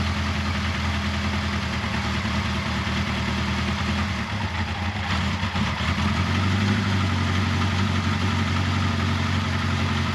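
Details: 1979 Kawasaki KZ1000 shaft-drive four-cylinder, first start after valve clearance check, head bolt re-torque, carburetor cleaning and intake boot resealing: even idle then smooth pickup with a little throttle, no ticking or knocking; normal idle.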